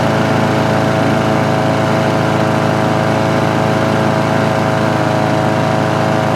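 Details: Free scrap lawn mower being run up, smoke now cleared, brand new air filter fitted: constant speed with a slightly uneven, lumpy beat, sounding a bit dopey and running a bit off; cause unclear.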